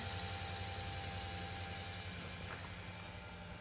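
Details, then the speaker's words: LS-swapped snowcat with Texas Speed 408, fuel pump priming before first start; steady, even high whir with no surging or grinding, regulator holding 58 psi, fuel system leak-free; pump sounds healthy. "All right, guys, so as you can probably hear behind me, the fuel pump is running. And basically what I did was I just wanted to make sure that the whole fuel system was leak-free, everything pressurized."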